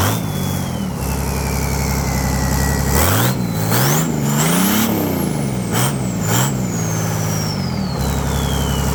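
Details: Volvo Penta KAD42 diesel, first run after complete rebuild with new cylinder liner kit: smooth idle revving up and settling back cleanly, turbo whistle rising and falling, no knocks; normal running.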